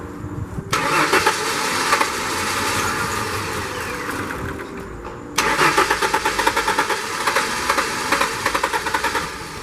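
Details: 1994–98 Ford Mustang that starts then dies (owner suspects coil or lost current), cranked with ether added: two spells of steady cranking with rhythmic compression pulses, never catches or picks up; cranks without starting, anti-theft key issue also suspected.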